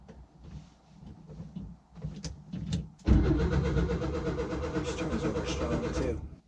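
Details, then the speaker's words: 1966 VW Westfalia split-window bus sat over 30 years, first start attempt, cylinders pre-oiled, newly wired ignition switch: a few clicks, then even cranking about two and a half beats a second, never fires; owner thinks no spark. Crank no-start. "I don't think she's getting I don't think she's sparking"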